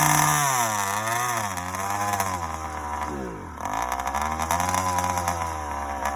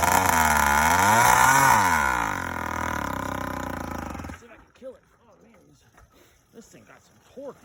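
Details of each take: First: Yamaha YD100 two-stroke, first start after reinstalling a Dio reed valve, newly ported cylinder and windowed piston: crisp buzz rising and falling smoothly with throttle blips, starts easily, no misfire or rattle; healthy running. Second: YD100 two-stroke first startup with Dio reed valve, ported cylinder and windowed piston; revs high and hunts erratically before dying; owner suspects the uncapped boost port is causing the crazy idle.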